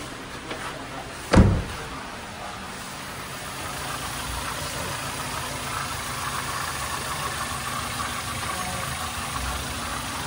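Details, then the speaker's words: Toyota Avanza engine after rebuild for knocking (new liners, piston rings, connecting rod and main bearings, valve seating) settles into a quiet, even idle with no knock or tapping, during break-in; formerly it knocked loudly. Normal idle. "So tingnan natin iyung andar ngayon mga sir. Aan tahimik na siya. Ayan pa-break in na'."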